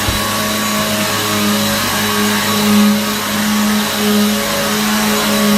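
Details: Hoover vacuum cleaner after repair, switched back on: steady high-pitched motor whine with airflow rush, even and smooth, no rattles or grinding; very loud, likened to a Hoover Pure Power; vacuum motor runs healthy.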